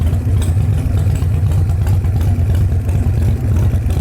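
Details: Display bike just fired up: deep, loping V-twin thump at idle, uneven but steady beat, no knocking or rattles; idles fine.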